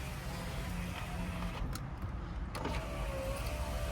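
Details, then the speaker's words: 2000 Jeep Cherokee XJ after window motor and regulator replacement, final test: smooth even motor hum with steady tone as glass travels, no grinding or clicking; normal power window operation. "Awesome. And sometimes these windows don't work, but they're working now."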